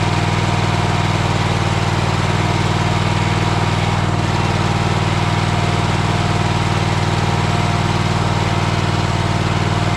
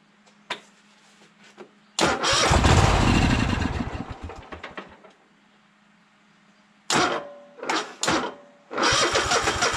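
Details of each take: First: Troy-Bilt Horse tiller single-cylinder engine after a new fuel pump was fitted: a steady, even putter with no misses or surging; its smoke comes from being tipped on its side and clears. Normal idle. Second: Troy-Bilt Horse tractor engine, first start attempts on starting fluid; repeated quick cranking catches briefly then dies; no fuel reaching the filter, owner suspects bad fuel pump, later replaced; cranks but no start, fuel starvation.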